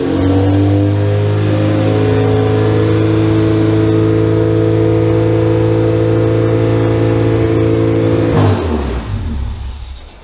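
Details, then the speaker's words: Honda Civic Si (EM1) at first start-up after a day of attempts, following a 4-bar MAP sensor fix and a recharged dead battery: a loud, raw, steady roar from a cut open exhaust for about eight seconds, then revs drop away. It starts and runs. "So this thing's highly obnoxious and loud. But yeah, the exhaust is literally just Cut. But it runs."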